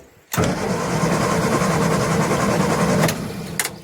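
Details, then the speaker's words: Morris Minor, A-series engine, sat unused since 2017, spark confirmed, fuel bowl filled by hand, choke out: starter churns steadily about three and a half beats a second for three seconds, never catching; cranks but won't start, brake cleaner next. "I tell you what, we'll put some brake cleaner down and see if that will make it go."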